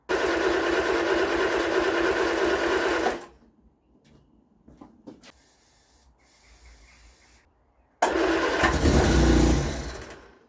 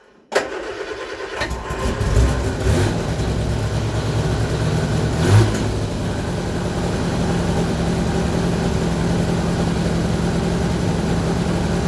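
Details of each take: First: Vauxhall Viva HC with a rebuilt carburetor: it runs briefly and dies, then catches on cranking and flares before fading. It fires on carb cleaner but not with fuel in the carb; the drained fuel suggests water-contaminated fuel. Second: Vauxhall Viva HC after carburettor rebuild, fuel line flushed of water-contaminated fuel, new filter, running on fresh V-Power 99 octane: cranks briefly, catches and settles into a steady, even idle with a rev blip; normal start and idle.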